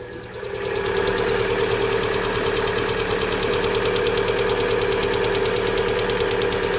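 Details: 2018 Lada Vesta 1.6, 84,000 km, cold start at about −32°C, under hood: fast even light metallic ticking over idle; hydraulic lifters clattering after cold start, slowly quieting; adsorber valve clicking may join when warm.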